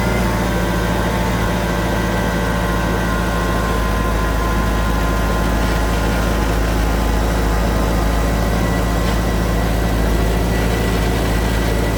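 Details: Mercedes W202 C36 AMG idling after new fuel filter and fuel pressure regulator: constant smooth drone at steady speed, no stumbles, ticks or misfires; normal idle.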